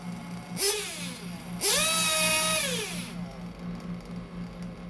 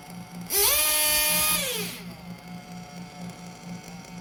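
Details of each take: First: 1/8 RC nitro engine after the high speed needle is leaned: two crisp blips that climb and fall back cleanly, then a steady burbling idle; idle sounds good, revs pick up nicely and the high speed needle is well set. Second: 1/8 RC nitro engine during carburetor tuning, after leaning the low-speed needle and reducing the idle gap: a shrill scream climbs fast, holds about a second, then sags back to a burbling idle. It is not quite revving up, as the high-speed mixture is too rich.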